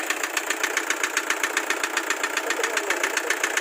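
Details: Toyota HiAce Commuter 2KD diesel engine at idle: sharp regular knock about 150 per minute over steady idle; diesel knock, cause unknown.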